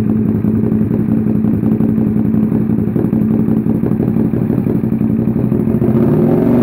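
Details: Self-built SV650 V-twin starting up after a rebuild. Even, steady idle with a regular low thump and no knocks or misses, settling slightly lower near the end; normal idle.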